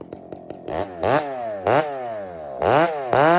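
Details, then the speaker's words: Husky 394 chainsaw blipped repeatedly to wide-open throttle. Revs rise cleanly, then burble and gurgle on top rather than screaming lean; healthy, slightly rich running. "hey friends listen to the nine four when I just fired up and rev it out of the would like just just crack on it and hold it hold it wide open just listen to it"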